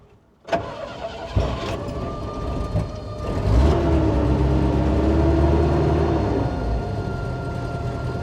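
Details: Bombardier Bombi with Holley Sniper 1100 fuel injection, after exhaust manifold crack fix, restart after stalling: cranks, catches after a few seconds, climbs to fast idle with uneven pulsing; warming up, idle set 900 rpm. Rough running; owner suspects stalls at closed-loop changeover, unconfirmed.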